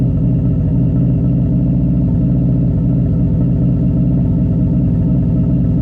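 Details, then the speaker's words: 2002 Subaru WRX with straight-piped exhaust: loud burbling idle with uneven lumpy beat and odd stumble, seemingly still running rich and smoking; suspects missing injector plug; rough idle with occasional misfire. "I'm gonna plug this injector back in and it probably will still slightly misfire here and there but oh well"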